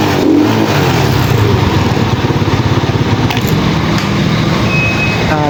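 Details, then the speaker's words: Pantra-type single-cylinder motorcycle, formerly very hard starting, after converting to a Lihua 4-pin CDI on a primary-type stator: even, steady low thump with no misses or stumbles; runs smoothly and now starts easily. "niyo naman mga boss napakadali na napakadali na start yung motor na kinabitan natin ng 4 pin cdi"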